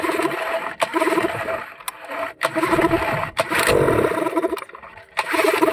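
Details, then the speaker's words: Yamaha 15 hp outboard that dies at low rpm in forward gear, tested with the stop-switch wiring disconnected: it still catches, sputters and cuts out repeatedly, so the stop switch is ruled out; the cause was later found to be a leaking reed valve and clogged carburetor. "masih juga seperti itu berarti untuk bagian stop kontak juga tidak bermasalah"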